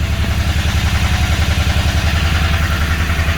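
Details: Royal Enfield Interceptor 650 that starts but jerks and will not run properly, with a "phat phat" sound from the exhaust side. Idle pulses come uneven and lumpy, with dropped firing: engine misfire, cause not yet found.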